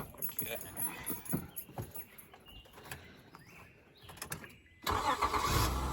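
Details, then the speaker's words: 2001 Honda Accord V6 after replacing the starter: after handling noise the engine fires instantly on first try and settles into smooth even idle; new starter works, healthy start. "Hey, works like a charm. As you can hear, it's running."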